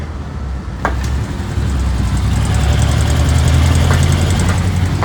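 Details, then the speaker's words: Light, fast metallic rattle over the idle of a Honda Pop 110 single-cylinder motorcycle: the cam timing chain is knocking, even though it was replaced about two months ago. It is to be fixed without replacing the chain or touching the spring. "Veja aí, ó. Corrente de comando, né? Batendo, ó."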